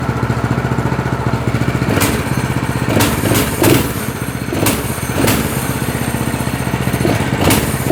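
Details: Single-cylinder go-kart engine (chain drive) starts and putters at a steady idle believed set fine, with throttle blips that rise and settle cleanly; runs evenly, sounds healthy.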